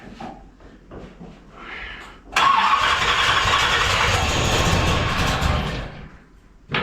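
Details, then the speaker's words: 1981 Corvette restarted after upgrades and a slight ignition timing adjustment: it cranks, catches and runs a few seconds with a loose, uneven rattle through the idle. Rough running, cause unknown. "A lot of rattling. Doesn't sound right."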